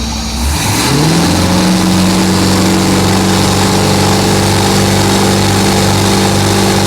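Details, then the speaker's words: Project boat, four-barrel carb, floored on the water: revs up and holds steady high drone but never climbs, flat and boggy; owner suspects timing is off, never set; blowby seen from one side. "We never judge the timing, right? Our timing's off. That's our issue. It feels like it should do more. Yeah, it's timing. Feels very boggy."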